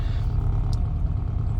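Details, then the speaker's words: 1987-era Austin Mini Advantage 998cc at a steady, even idle after a road drive, up to temperature, purring smoothly with no misses or knocks; normal warm idle. "Absolutely perfect, up to temperature. And listen to it purring away."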